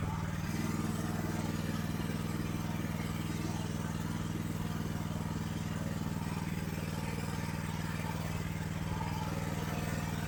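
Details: AGT LH12R mini excavator with RATO engine, governor adjusted toward idle: steady even engine beat around four pulses a second holding high without settling; governor holding idle too fast.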